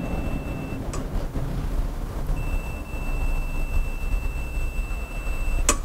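A steady high continuity beep sounds twice as the rain gauge's switch closes, showing it works normally.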